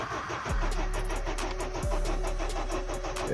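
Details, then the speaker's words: Honda Civic 8th gen no-start on a freezing morning; the owner suspects a broken key not making contact. The starter spins steadily with a couple of brief catches but never fires and runs. "maybe cuz you guys heard it we had a small crank you know like a small turnover sorry enough to tell me that the car you know indicate they wa"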